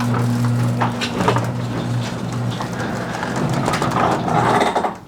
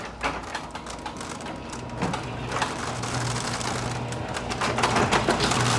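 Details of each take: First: Garage door after fitting nylon rollers and sleeves on all 10 roller stems: door travels with a steady low opener hum and only faint, muffled roller rattles; smooth, quiet operation. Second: Six-month-old garage door opening: fast, uneven clatter, about three to four rattles a second as it travels; rollers rattling in the steel track, before fitting roller sleeves/new nylon rollers.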